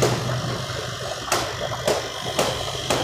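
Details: Tullu water pump that had run without lifting water or building pressure, primed with water and rechecked: an even motor hum with steady rushing water and soft periodic thumps; it now builds good pressure.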